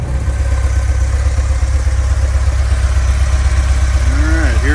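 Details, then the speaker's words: VW Vanagon stock 2.1L boxer engine, warmed up, which runs rough, knocks and shakes when cold and cuts power: steady, even low rumble with no stumbles or misses, idling smoothly when warm. "is running running pretty smooth right now it's warmed up [Music] sounds good"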